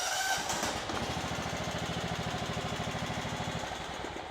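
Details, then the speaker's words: Kohler Command CV15S on a John Deere LX255, after an ignition coil replacement for a crank-no-start fault: catches and runs with an even, rapid putter, no misses or scraping; first run since the homeowner bought the house. "Starts up. That's the first time this thing ran since the homeowner actually bought the house."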